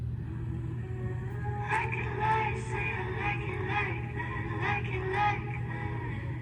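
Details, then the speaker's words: MacBook Pro 13-inch Retina (A1502) after DIY speaker replacement: music plays cleanly with no buzz or rattle on louder notes; the earlier right-side speaker rattle is fixed. "[Music] yes fixed problem solved so much cheaper than hiring Mac"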